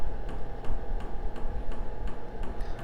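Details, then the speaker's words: HCalory 4.5 L toolbox diesel air heater (8 kW) just after power-on: sharp, even fuel pump ticks about every third of a second over a steady fan hum, showing the pump working normally. "You can hear the pump clicking now, indicating that it's working."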